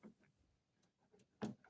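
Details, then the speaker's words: 2011 Nissan Frontier tailgate with a faulty latch: two short, dull mechanical clicks as the handle is pushed but no release clunk. The latch can be heard moving but won't open the tailgate, and disassembly is needed. "Oh no. Yeah, I don't think I can get it to open. I can hear it"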